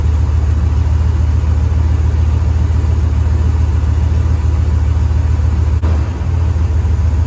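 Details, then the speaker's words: 1973 Ford F-250 4x4 crew cab at idle: runs low then loads up and stumbles hard; flooding carburetor, rear bowl spewing fuel out of the air horn top, running rich and erratic. "what happens is the back bowl starts spewing fuel out of the out of the air horn top you know could start acting up"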